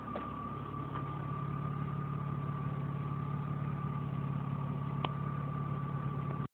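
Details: 1997 BMW E36 M3 six-cylinder engine idling: steady high whistle, whirring or whine riding over its low, even rumble; cause unknown.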